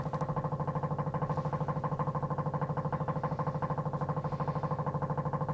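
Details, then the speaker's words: Engine-off electric fuel pump priming on a Corvair-engined Baja Bug, a steady, even ticking about three beats a second; normal fuel pump priming. "so i don't know if you can hear that that's the fuel pump running just let it prime and get some uh go juice in there"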